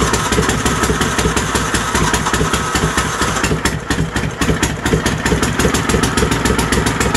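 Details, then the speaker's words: Troy-Bilt GTX 20 with new lapped valves and gaskets, carburetor issues, gas fed directly into carburetor: loud, sharp, uneven cracking pulses from open pipe; keeps running only on choke, likely fuel delivery; muffler baffles gone, carburetor kit coming. "our dear Lord so you guys get the drift it runs the muffler basically isn't one's as straight pipes"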